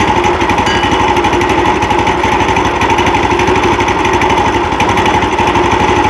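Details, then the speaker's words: New Predator 420cc 13hp engine swapped onto a Harbor Freight sawmill, replacing the 301cc, just key-started on initial start: steady, even single-cylinder chug with no knocks or misses; sounds like the old engine; healthy normal running. "sounds like the other one did you make it go warm up did you start it with the key or did you start it by pulling it"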